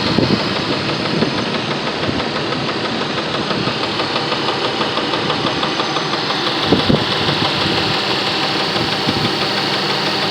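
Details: 1999 Jeep Grand Cherokee Laredo at idle: loose, uneven knock about two a second over the steady engine hum, from inside the engine; cause unknown.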